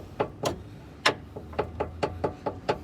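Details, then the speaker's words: 2006 Acura RSX front suspension clunk: a pry bar levers the part against the chassis, giving sharp metallic knocks about four a second, because the rubber bushing is missing entirely. "hitting the chassis there's no rubber bushing whatsoever that's bad it goes right back down"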